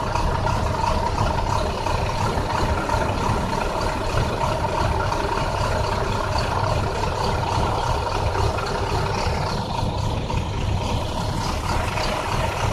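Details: 2009 International bus: heavy idle with a lumpy, uneven beat instead of a smooth thrum, like a cylinder dropping out; a bad misfire.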